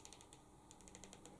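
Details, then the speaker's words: Oneleaf NV400 control dial turned: quiet, crisp ticks, about a dozen in under two seconds, as it steps through its detents. Audible enough that the reviewer wonders whether it could spook rabbits when out rabbiting. Clicking detent dial. "The first being this dial here. You can probably hear it clicking."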